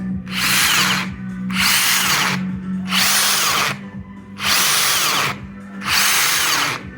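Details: Makita 3/4" cordless 40V impact wrench run in short bursts: a harsh rattling roar over the motor whine, first thought to be loose motor bearings. The impact mechanism was dry and unlubricated; it was cleaned, regreased and given a new silicone gasket.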